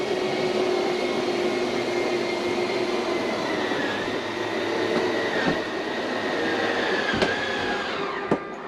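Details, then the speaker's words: Northwood Nash 25C RV slide-out retracting after a rotted floor replacement: a steady electric motor whine holds a level pitch through the travel, with no labouring. It is slightly faster and no strain is heard; it runs freely. "It's still slow. I don't know. It is a little faster, I guess. I don't hear the strain."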